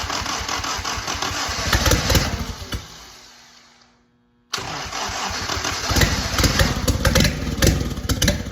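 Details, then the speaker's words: 1943 Willys Go Devil (WWII Jeep) engine, run on a spray bottle of gasoline after decades idle: runs unevenly, dies away, then restarts into an unsteady rough idle; oil pressure about 35; cause not identified. "So being that it's not idling perfectly, that's probably okay. Wonder if I can get it running better than that."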